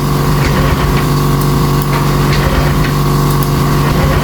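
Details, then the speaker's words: Honda Vario 150 scooter that came in electrically dead; weak battery and blown 25A fuse already fixed. Steady starter whir, even cranking, never fires. MIL shows code 12 and the fuel pump doesn't hum, traced to a broken injector wire. "di starter pun mau ngangkat cuma enggak mau nyala motornya"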